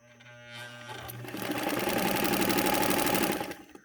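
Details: Allyn sewing machine test run: quick, even needle clatter at about three stitches a second, steady speed and rhythm, running smoothly.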